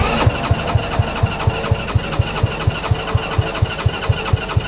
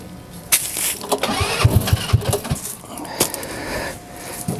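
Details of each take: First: Kids' TW200 Trail Wagon Runabout 4x2 UTV, fuel lines reconnected: about four even starter thumps a second for six seconds with no catch, then silence; cranks but won't start, owner suspects gummed-up, clogged carburetor, a common problem on these. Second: TW200 Trail Wagon Runabout 4x2 kids UTV, after carburetor cleaning, battery shot: several quick cranking pops and sputters, then the small engine catches and keeps going; starts and runs.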